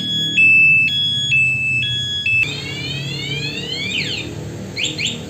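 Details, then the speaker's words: Honda Beat 2022 scooter with an aftermarket HD remote alarm armed: when the scooter is jolted, loud alternating two-tone chirps sound for about two seconds, and a second jolt gives a longer sound. This is the alarm's shock-sensor warning. "Nah saat motor terkena guncangan tadi dia akan mengeluarkan bunyi kalau kena sekali lagi bunyinya lebih panjang"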